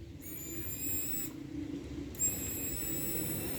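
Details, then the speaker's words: Motorcycle electric fuel pump, new replacement bench-tested: a steady, high, thin whine switches on twice for about a second each over a low hum, running smoothly and evenly. Normal operation. "a gente vai testar só para vocês ver como ela funciona ó aqui ó mostrar aqui ó aí olha só certo barulhozinho dela tá baixo por causa que tá com essa bicho aqui"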